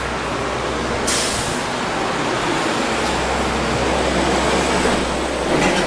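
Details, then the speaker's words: 2006 Hyundai Sonata after vibration damper (harmonic balancer) replacement and belt refit: steady, even idle with a low hum and no belt chirp or squeal. "All right, so now that we have the belt on, it's nice and quiet. As you can hear, there's no chirping, no nothing."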